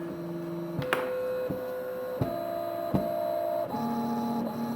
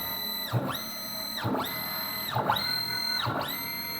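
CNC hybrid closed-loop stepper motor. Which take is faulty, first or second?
second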